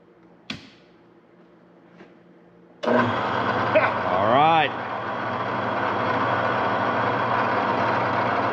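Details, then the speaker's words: Newly wired shop electrical box for a CNC plasma table setup, powering the mill: a click at switch-on, then the motor spins up to a steady, even hum with no knocking or grinding; runs normally. "Good. It works."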